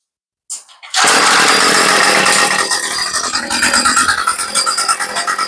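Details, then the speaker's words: Craftsman 2-stroke weed eater after carb rebuild, idle screw raised slightly, no mixture adjustment yet: catches on first pull and settles into a high, buzzy, fairly steady run with slight waver; runs surprisingly well. "okay that's actually surprisingly good and we haven't made any adjustments"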